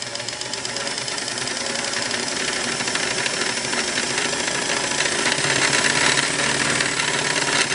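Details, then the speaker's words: Singer 466 sewing machine after replacing the top vertical-shaft gear: fast even mechanical clatter with some table rattle from missing rubber feet, no binding or backlash knock; runs smoothly, cam-stack worm gear dry. "this sounds really good to me because I know the rubber feet on this machine is gone"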